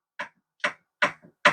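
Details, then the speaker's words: Yamaha YFZ1000R project engine torn down, loose connecting rod rocked by hand: four sharp metallic clacks about two a second from a worn rod bearing with excessive play; crank won't rotate freely, engine likely to become the parts motor. "that's bad and this one doesn't want to rotate this crank does not want to rotate so I think this is going to be our parts motor"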